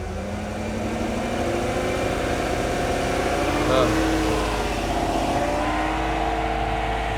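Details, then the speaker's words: 2015 GMC Yukon Denali 6.2 L, 140k miles, misfire code on cylinder 7, smelling of fuel: held near 2000 rpm it sounds lumpy with a steady stumble and shakes badly; a dead cylinder misfiring. "look how bad you see you can feel a misfire in that motor it's terrible"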